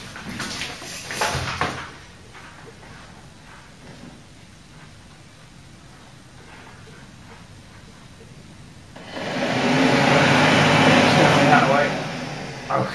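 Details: Mk3 Ford Cortina heater box with upgraded 300 W blower motor, bench-run with uncertain polarity: after quiet, loud coarse rushing whir for about three seconds; motor spinning backwards on reversed wiring.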